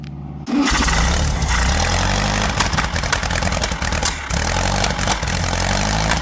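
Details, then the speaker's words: Car just fitted with a Bosch ignition system, timing not yet set: it catches and runs rough, stumbling and misfiring. A high-tension leak is suspected rather than timing, and timing will be advanced roughly. "funcionar eu não sei se tá no ponto mas eu acho que o problema não é nem o ponto porque eu tô ouvindo uma fuga de de alta tensão"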